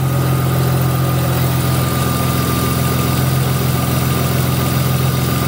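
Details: 2000 Audi S4 B5 after alternator and belt work: steady even idle, smooth low hum with faint constant whine, no chirp or slap; belt not walking, battery light off, engine sounds healthy.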